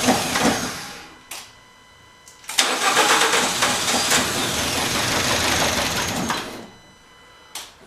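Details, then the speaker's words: Fiat X1/9 with a swapped-in Fiat Abarth turbo engine, first start after sitting 18 months: long cranking bursts at about four beats per second that never catch. After hours it won't fire; the owner suspects the spark plugs and has ordered new ones. "I have messed with this thing for hours and it just didn't want to fire it looked like to me the plugs were filed"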